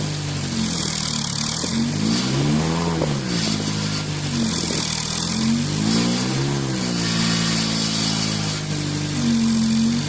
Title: Strange noise from pumaspeed muffler